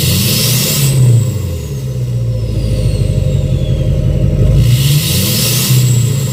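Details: 2006 Chevy Silverado LBZ Duramax diesel, revved in neutral with new 5-inch straight pipe, flow-through muffler and DSP5 tune; deep rumble rising each blip, climbing turbo whistle fading as revs drop; normal revving with turbo spool.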